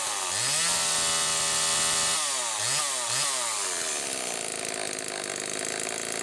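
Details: Homelite XL-2 chainsaw, two-stroke, test run after bar maintenance to check oiling: cracks up to a high even scream, drops and blips a few times, then steady rev; running healthy, sprocket slightly noisy from some wear.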